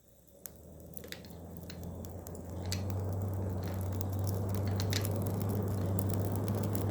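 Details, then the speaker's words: Solid-fuel coal forge with air fed by a blower: low roar swelling steadily as blower speed rises, sparse crackles over it, the "breathing" rushing sound of the fire drawing and burning properly; normal forge combustion. "And there's the breathing sound. You hear that? When you hear that sound, you'll know it."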